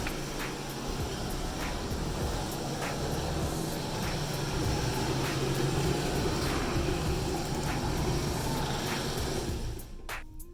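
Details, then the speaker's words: Chamberlain 995 screw-drive garage door opener after replacing the stripped inner slide: a steady motor drone with light, even ticking at three or four per second while opening, then a clean stop near the limit. Normal operation after repair. "All right, it's going open. Don't want it to go too far, so I have my finger on the button. All right, looks like it's stopped about where it should be."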